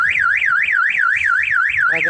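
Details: Toyota HiAce horn after fixing a no-horn fault by wiring it its own separate circuit: loud warbling wail sweeping up and down about four times a second, strong and steady; horn working.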